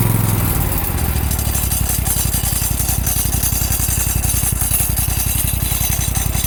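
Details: Exmark mower with Amazon-bought PTO blade clutch, about 15 hours since new and getting worse: steady drone with harsh rattling hiss and fast even thrumming beat; loud clutch noise, cause unknown.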